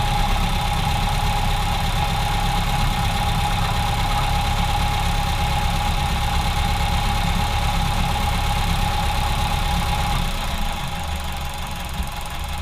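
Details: Ford Model A with a clogged fuel line: after about three minutes of driving it loses power and misfires, the lean mixture causing irregular backfire pops in the exhaust, about three a second.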